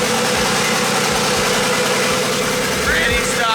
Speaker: let's get a sound clip of what the little 5'3 stop cam sounds like just to have a little memory of this little this little girl yep pretty stock